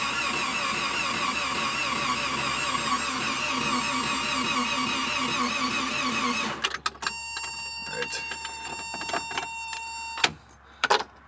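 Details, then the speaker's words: 1984 Toyota SR5 pickup, 22R engine, parked 23 years, cold day; spark disconnected, steady rhythmic starter churn at about ninety beats a minute for six seconds to build oil pressure, then stops, no firing. "so let's crank this over for a few seconds let it build a tiny bit of oil pressure but no spark all right"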